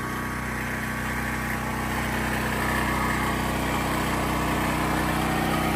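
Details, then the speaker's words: Predator 9,000 watt generator, 4 years stored outdoors on its original air filter, powering a house during a power outage; steady even drone under load with no misses or knocks, healthy running. "So you can see it still runs, and it runs absolutely phenomenal. But she looks kind of rough."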